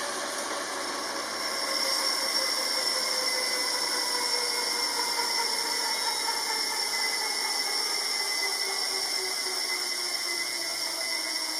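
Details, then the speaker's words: Elite Drivo bike trainer during a sprint, recorded with the camera microphone: a soft whirring hum rising as it spins up, with a faint tonal rumble from the trainer. It isn't silent, but this is normal. "And you can see there's a bit of that tone. It's like a very faint rumble, if you will, from the trainer. So it's not silent."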